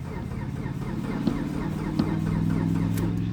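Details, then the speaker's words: 2012 Mitsubishi Galant, 182,000 miles, battery fully charged at 13-plus volts: sluggish starter whir turns engine slowly with no firing; owner plans a new starter and crankshaft position sensor, cause unconfirmed. "We're going to get in here and cross our fingers and see if it'll start. It's kind of trashy on the inside and it smells like a bag of chocolate starfish. Yeah. See, it still turns over slow."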